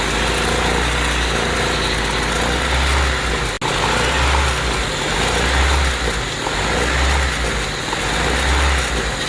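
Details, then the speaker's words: Honda Civic with surging idle: brake cleaner sprayed around the injectors, vacuum lines, throttle body and intake manifold gasket makes the idle dip and recover, showing a vacuum leak as the spray seals it. "so as you heard the idle change basically what's happening is that vacuum leak is being closed up by the brake clean and it could be any accelerant"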